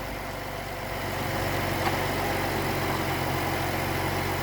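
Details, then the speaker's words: 2014 Jeep Cherokee after misfire diagnosis (codes P0301–P0306; #3 coil pack moved to cylinder 1, P0303 permanent code remaining): steady low idle with an even pulse and no skips or stumbles, running pretty smooth; the check engine light later returned. "that wasn't reassuring sure runs pretty good"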